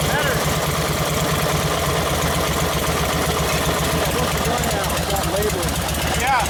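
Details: 1952 Harley 74ci panhead after top-end rebuild, rebuilt Linkert carb, running hot on full choke with timing slightly retarded: loud V-twin idle with lumpy, slightly uneven beat and throttle blips; idle not yet set, mixture suspect.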